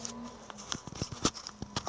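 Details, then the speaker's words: 250mm high-rpm PC fan fitted as a camping-trailer (Airstream) vent fan: a low hum drops out and returns with scattered ticks as the controller switches power off and on rather than feeding steady current, an irritating pulsing. "그러니까 일정한 전기를 주는 게 아니고 어느 정도 회전이 되면 전기를 차단시켰다가 또 회전이 너무 모자라면 다시 전기를 주는 형식이에요. 이런 식으로. 생각보다 이게 귀에 걸거쳐요."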